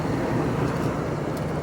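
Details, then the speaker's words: 2001 Toyota Tundra, 3.4 V6, two-wheel drive, on a light cruise after work on an earlier misfire: smooth, even engine drone with steady road noise and no stumbling or skipped beats, normal running with no misfire. "Does it sound like we got a misfire? No, we sound good now, actually."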